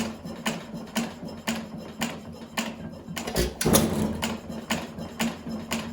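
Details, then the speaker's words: 1920 1.5 hp Alpha De Laval (John Lauson Frost King Jr) hit-and-miss engine with deliberately loose main and crank bearings: crisp firing pops about every half second with long even coasting between; normal hit-and-miss running. "Well, that's a John Lauson engine for you. I mean, it really does run nice. It's got a nice lag. Like it'll turn a lot of revolutions before it fires again, and that's due to the adjustment to very loose main bearings and very loose crank bearing."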